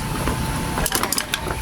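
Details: Old-model Nikon industrial electric fan, two motor winding terminals showing no resistance reading: dry creak and scrape as the shaft is turned slowly by hand, rotation stiff and tight after long storage; worn shaft bushing.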